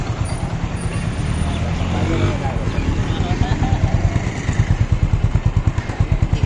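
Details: Hero Glamour motorcycle after piston ring fitting. Steady, even low idle beat with no knock or rattle; engine sound problem solved, normal idle.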